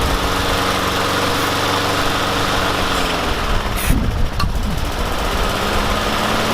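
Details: Yard Machines mower with a Briggs and Stratton engine, running after a no-start fix of cleaning the spark plug and spraying carb cleaner into the carburetor intake: steady, fast chugging beat with a brief wobble mid-clip; runs smoothly and sounds healthy.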